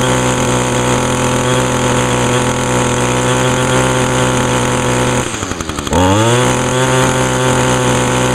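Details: Echo two-stroke string trimmer, started on choke with primer pulls after decarbonizer in the cylinder; smoky at first, has an i30 recoil starter. High buzzy note holds steady, dips briefly, then picks straight back up and runs evenly: normal running.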